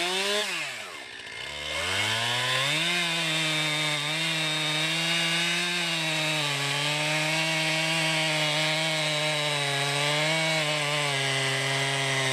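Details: 2020 Stihl MS261, non-M-Tronic carbureted, 20-inch bar, cutting a freshly felled green pine about 1.5 ft round, straight cut and plunge cut: high two-stroke scream sags briefly as the chain bites, then holds strong; rips through the soft pine, normal under load.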